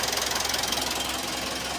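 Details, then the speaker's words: 2017 Mitsubishi Strada 4D56 common-rail diesel, running after water-damaged injector was repaired and refitted: even, steady diesel clatter with a regular quick beat, no stumbling or misses; normal healthy running, problem solved. "So umandar na guys. W na may chickening lang. Okay ayan. Okay na guys. Umandar natinung unit."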